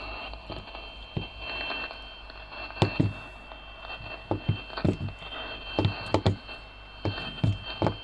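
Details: CB radio receiving a steady tone on 27.615: the tone cuts in and out with crackly bumps as the set is moved. Intermittent receive from a break in the signal path, such as a cracked solder joint, loose component or missing ground.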